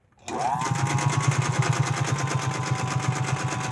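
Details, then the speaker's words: 1931 General Electric Model A sewing machine with a homemade belt, upper tension too loose. The motor spins up, then a loud rapid chugging clatter, like a train, rides on every stitch, from a dry, unoiled bobbin case. "oh looks like it's doing good sounds like a train"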